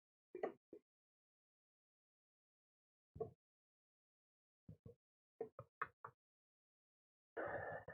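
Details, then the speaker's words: Lotmaxx SC-10 Shark 3D printer with dual filament drive gears: sharp irregular clicks over near silence are the extruder skipping as it struggles to force out that much plastic. "okay so i hear the extruder skipping it doesn't mean that it won't continue but it is having a hard time forcing out that much plastic"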